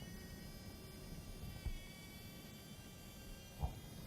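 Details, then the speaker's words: Faint steady high-pitched whine over low fan hum: slight coil whine from a graphics card's coils vibrating at high frequency under load, worse as the card draws more power. "Coil whine. It's a high frequency vibration that's occurring from the wires that are wrapped around they're like transformers. The coils under high frequencies, they start to vibrate and they let out high-pitched tones."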